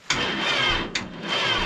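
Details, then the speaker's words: Cold diesel with oil pan heater fitted, oil still too cold; sluggish cranking, each stroke dragging, never fires; cold-thickened oil prevents starting. "Oh, I don't think it's gonna do it. That oil's cold. I've got a heater on the oil pan, but it's just not doing it."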